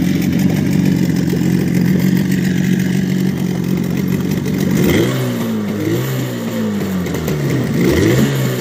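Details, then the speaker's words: Outboard boat motor after sealing air leak at fuel filter and re-tuning carburettor, warm, +5 °C; steady even drone, then clean throttle blips rising and settling smoothly, no sneezing. "всё вроде настроил на горячую не чихает сейчас еще поработать"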